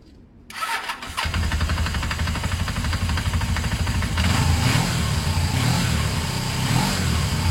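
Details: Motorcycle started after refitting a loose second earth wire at the battery. It cranks, catches and settles into a steady, even idle with no misfire or knocking; starts and runs normally.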